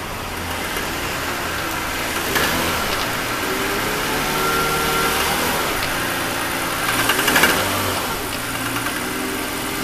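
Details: 2001 BMW 530i M Sport (E39) at idle: uneven idle with irregular light rattle and occasional surges; recently developed abnormal engine noise, cause still being investigated before repair.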